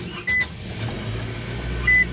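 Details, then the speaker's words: 2016 Nissan Sentra SV start after battery replacement (old battery had dead cells, cold cranking issues): two dash chimes, engine catches at once and settles to quiet even hum; clean healthy start. "nice smooth start and mission accomplished"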